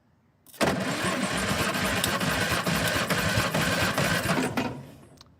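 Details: 1958 Morris Minor ute (LCV pick-up) engine, sat 20 years, during a compression test on cylinder three: about four seconds of steady, even cranking near 220 beats a minute, no lazy strokes; compression looks healthy.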